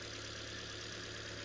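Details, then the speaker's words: 2011 Ford Fiesta Titanium automatic petrol, just after head gasket replacement, first start: smooth, even idle with steady low hum, no knock or tick; sounds exactly as it should, normal idle. "that already sounds so much better that's exactly how they should sound"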